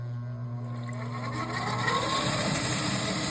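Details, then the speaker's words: Furnace inducer motor at start-up: rising hum with faint gurgling water sloshing. Water is in the inducer housing because a likely never-cleaned condensate drain trap and tube are blocked. "Shouldn't sound like that. What that is, this drain trap here likely has never been cleaned out."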